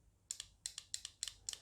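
Crisp paired clicks, about five sets in under two seconds, each pull-in and drop-out clean; the relay is switching normally.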